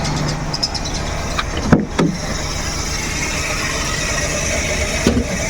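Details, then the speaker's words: Suzuki Every Wagon (DA64W kei van) petrol engine idling unevenly with occasional dips and knocks and strong vibration, a cylinder misfire causing rough idle; AC on, tensioner bearing also noisy. "oh grabe yung vibration niya sumasawsaw yung makina"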